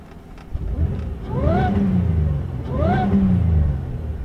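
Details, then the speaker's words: Pontiac Grand Prix daily driver parked, free-revved: two quick blips, revs climb and drop cleanly without stumble or popping; misfire only appears when driving at a certain speed, not on free rev. "what it sounds like when it revs I mean it doesn't sound like it's misfiring when it revs it's just when you drive at a certain speed"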